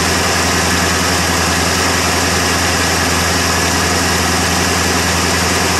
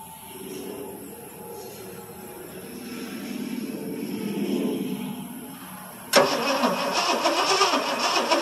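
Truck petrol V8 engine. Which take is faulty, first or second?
second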